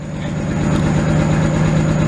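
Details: Nissan 300ZX V6 after fixing a misfire: steady, even idle around 1000 rpm with a low hum, no longer bogging down.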